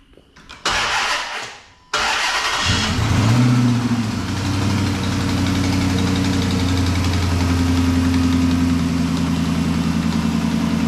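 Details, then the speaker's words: 2007 Chrysler 300 with Hemi swapped in from a 2006 300C donor, first start after swap, no mid pipe: fires and idles with a steady droning moan from the power steering pump running short of fluid after system refill. "that would be a lack of power steering fluid which we knew was gonna happen"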